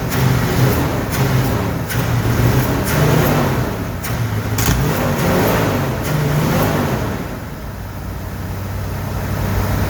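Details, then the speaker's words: 1969 Ford F100 V8 with rebuilt carburetor and old power valve refitted, idling in garage; loud busy ticking clatter over lumpy idle; valve train clatter of unknown cause, plus bad vacuum leak at brake master cylinder. "There's a lot of valve train noise tonight. I don't know why, but the valve train is clamoring."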